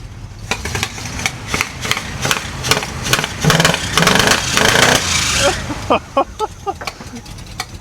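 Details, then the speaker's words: 1967 Cadillac Calais, sat 27 years, start after blowing air through carburetor bowl ports and fuel inlet: uneven sputtering pops about twice a second swell into a rough roar then break up, with an unidentified weird noise from the carburetor; engine runs. "well it's running they got a really weird noise coming out of the carburetor don't really know what it is but but it does work"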